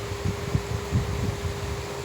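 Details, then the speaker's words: Chevrolet Trax that overheated because the radiator fan wouldn't switch on, after repair and replacing the coolant reservoir and cap, monitored warm: steady whooshing air rush and even hum as the fan now activates; normal cooling fan operation. "aquí como ya está reparado pues ya vemos que ya funciona bien el ventilador"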